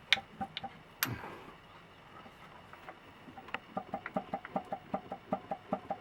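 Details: Toyota Corona 4S-FE engine at quiet idle with a distinct, fairly regular knock about two or three times a second. Crankshaft knock.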